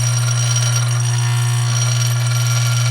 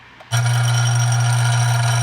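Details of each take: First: Dillon RF 100 auto primer feeder running without lid on bench: deep steady mains-frequency buzz with faint rattle of primers, even and unchanging; feeder speed set slightly too slow. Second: Dillon RF 100 auto primer feeder, fine-tuned against primer flipping and clogging, with the lid tightened: steady, even low buzz starting abruptly and holding, vibrating a little louder than before; a spring is also heard vibrating; feeder running normally.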